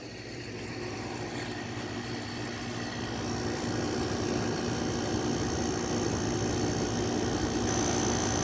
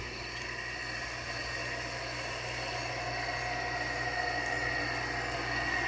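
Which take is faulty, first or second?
second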